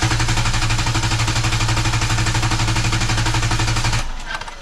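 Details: Vehicle cranking on a NovSight G5 6000A jump starter, gas pedal floored for clear-flood mode so it cannot start; fast, even, deep churning about four beats a second for four seconds, then stops; normal strong cranking.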